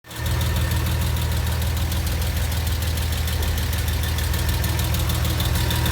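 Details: Porsche Boxster 986 idling very hot after spirited driving: deep steady rumble with a light, fairly quick tick, mostly from the driver's side, gone after two minutes parked; owner wonders if lifters or exhaust.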